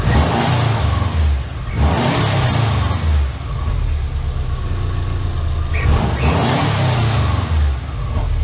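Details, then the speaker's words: Rebuilt Subaru Impreza engine with SOHC heads, first start after build with two-ECU wiring and new exhaust; strong smooth revs rising and falling cleanly to high rpm, no misses or stumbles; tach works, crank signal holds between ECUs. "So the tack is working good, and obviously it runs up to good high RPM without the crank signal breaking down between the two ECUs."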